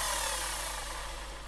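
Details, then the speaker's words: Evolution Rage 3S 210 mitre saw motor after new brushes: loud, harsh roar with a raspy crackle as the brushes spark heavily at the armature; an armature fault is suspected, and it would wear the brushes out in about ten minutes. "it can be quite noisy but you'll see coil off sparks being emitted here in here that's where the brushes are actually in contact with the armature"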